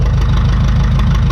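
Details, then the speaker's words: 1952 McCormick Super WD-6 tractor, started on gasoline then switched to diesel, sat about 10 years: deep, steady low thump at idle with even firing beat, no knocks; RPM picks up slightly as it warms up, normal warm-up idle. "RPM picked up a little bit I don't know how to describe that sound any other than that then the RPM picked up a little bit and it just it seems like it's getting warmed up"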